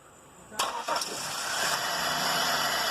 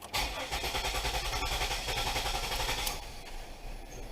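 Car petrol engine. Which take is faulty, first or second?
second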